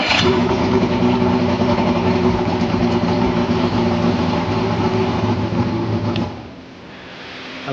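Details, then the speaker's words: Yamaha 115 hp two-stroke outboard after oil injection bypass: cranked with choke, runs smooth and even, picks up cleanly when revved and settles back; a good running engine. "So, you hold it in and you crank it. That's a pretty good running Yamaha there."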